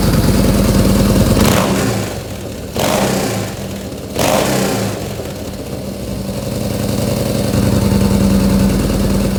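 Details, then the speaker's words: Yamaha Bolt 950 V-twin with newly installed ForceWinder intake: lumpy loping idle, three sharp throttle blips with clear intake rush, settling back evenly; healthy. "All right, now that we've got everything tightened up, we'll go ahead and kind of start this bike and see what it sounds like with that new intake. You can really hear the air flowing"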